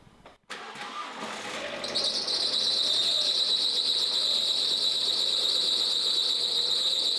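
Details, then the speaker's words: High-mileage Alfa Romeo bought as a no-compression car, first start. Engine catches fast, then a steady high squeal sets in within two seconds and holds at idle. Owner suspects the auxiliary drive belt tensioner; not confirmed. Squeal on start-up. "Where's the squealing coming from? Please tell me it's the alternator belt and know the timing belt."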